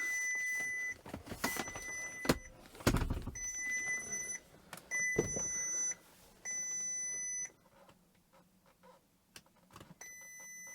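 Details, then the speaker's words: Crash-damaged Bentley Continental GT 6.0 W12 after new front end and radiator pack, trying to start: repeated high double-tone chime about once a second with handling clicks, no engine; "System fault workshop", won't start or lock, flat battery suspected. "System fault workshop. It won't start? No. No, it just says system fault workshop."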